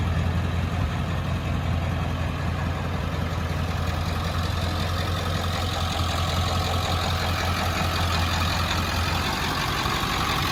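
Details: 1995 Ford F-350 dually, 7.3 Powerstroke diesel, five-speed manual, about 121k miles, serviced: deep steady diesel rumble, constant low drone, even exhaust note, no knock or miss; normal healthy idle.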